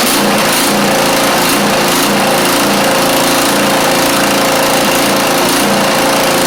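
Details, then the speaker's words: Craftsman YT4000 riding mower engine, first run, fuel freshness doubted: rhythmic surge about twice a second rather than an even note; carburettor said to be not really good, rough running. "So, we got the idea that this thing does run even though that carve is not really good at all."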